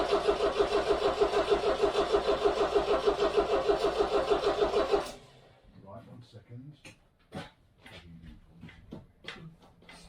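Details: 1969 MGB, dry stored and unstarted since 2001, cold start in neutral with fuel system primed and a little choke: steady rhythmic starter churning about three turns a second for five seconds, then cuts out without catching; cranks but won't fire.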